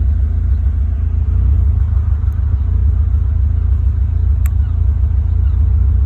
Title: Rough idle hard to start after turning off after temp reached